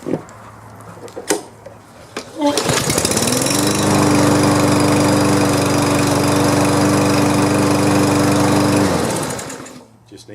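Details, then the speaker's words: Push lawn mower (free, oil found overfilled, getting basic maintenance) pulls over and settles into a steady, even drone at constant pitch with no knocks or misses; sounds like it's going to be okay, normal running. "so let's work on this one this one sounds like it's going to be okay"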